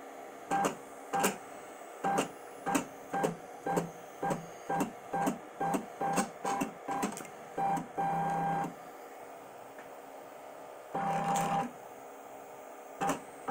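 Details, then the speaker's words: DIY CNC EDM machine cutting a grade 8 bolt: short crackling spark bursts about twice a second with a faint buzz, each cutting out quickly; unstable arc as the Z height feed isn't dropping fast enough to keep up. "well as you can hear I'm trying to get a stable arc and it's not happening"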